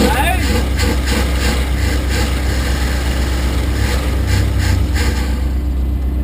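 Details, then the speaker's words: Chrysler Valiant VJ, sat 25 years, running after a good earth and carb bowl filled, accelerator pump squirters working: steady low rumble, even beat, no misses or knocks; normal idle, though it won't start off the key. "hey there you go she's a runner hey beautiful all i needed was a good ground and a good go"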